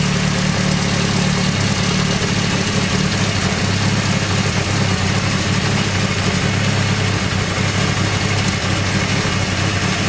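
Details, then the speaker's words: Honda CBR600 F3 at idle after replacing the failure-prone hydraulic cam chain tensioner with an APE manual one: smooth, even idle with a steady low hum and no top-end rattle or ticking; engine runs perfectly. "as you can hear, the engine runs perfectly."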